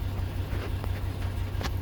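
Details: 2004 Chevy Avalanche after no-crank, no-start, no-ECM-communication fault was fixed by restoring a bad ECM ground: low, steady engine hum with an even beat and no knocks or misses; normal idle.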